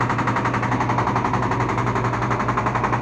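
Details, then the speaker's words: LG washing machine on spin: loud, fast, even rattling bangs over the drum hum, persisting with the pulley removed while the motor runs; traced to the drum's balance ring. "Presenta un ruido fuerte."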